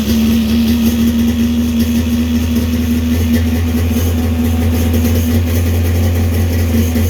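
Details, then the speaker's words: 1995 Sea-Doo XP with a swapped 951 two-stroke engine and freshly rebuilt choke carbs: a steady, slightly fast idle of about 2,800 rpm with an even buzz and no stumbles. Idle to be turned down a little. "Sounds good. Idle is almost where we're at."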